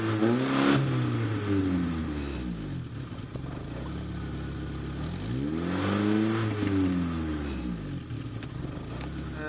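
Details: 1992 Opel Vectra A, automatic, before repair: loud, raw blatting exhaust swelling with each rev and dropping back; middle muffler broken off and hanging.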